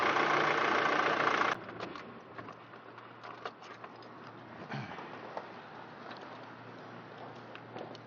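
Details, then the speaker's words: 2006 Nissan X-Trail 2.2 L diesel, cold start before a Snake Oil additive is added; a brief start-up roar, then a quiet, slightly shaky idle that the owner calls normal for an engine not yet warm: normal cold diesel idle. "okay so now you can hear how the Moodle runs it's a little bit shaky but it's normal because it's not where it's here"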